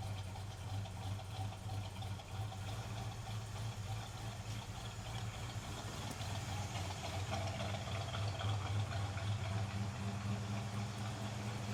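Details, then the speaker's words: EFI Chevrolet El Camino at idle after a trashed crankshaft pulley was fixed. Low steady idle with an even rumble, no clear ticking or puffing at the manifold; runs smooth. "so let's fire it up and see what happens hopefully it'll just fire up an idle smooth"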